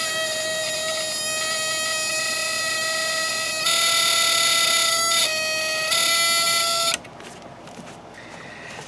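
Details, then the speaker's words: ELENCO Snap Circuits project 353 relay buzzer: steady high-pitched buzz for about seven seconds, then stops, from relay contacts rapidly opening and closing; working as designed. "and because it's doing that rapidly it generates this buzzing noise and if you put your finger on it you can feel it"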